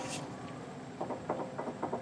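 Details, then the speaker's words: 2008 Honda CR-V, rattle in the left front over bumps: light double clicks as the sway bar link is pushed by hand, from a worn ball joint socket; link to be replaced. "Hear that? That noise is actually coming from right inside this socket right here. So this socket is actually worn out."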